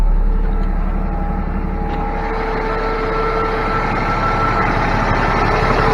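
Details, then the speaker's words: Cummins ISX diesel truck at idle after replacing the timing and fueling actuators, fuel pump relay, Jake harness and cam sensor to fix a rough idle: a steady, even low rumble with faint steady tones, now a normal smooth idle. "This thing's running so much better now. Got a good idle to it. Still got my ABS light on. It's just idling smooth now."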